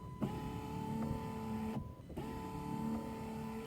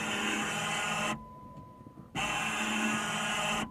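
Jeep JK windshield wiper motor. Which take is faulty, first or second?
second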